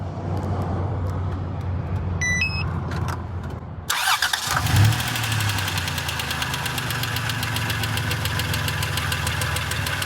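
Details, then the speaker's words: Crank and first start after an oil and filter change; catches, then idles with a busy metallic rattle, which the owner calls typical Dodge/Chrysler rattling. No leaks. Engine rattle at idle, cause not confirmed. "all right well still sounds like a Dodge or Chrysler product with all the rattling"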